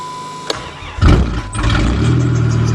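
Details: Snowy December cold start of vehicle unstarted since June: brief cranking, catches within a second, settles to steady, even idle; healthy cold start.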